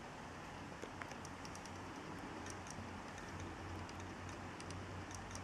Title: Clicking noise (HDD from Dealextreme) video 1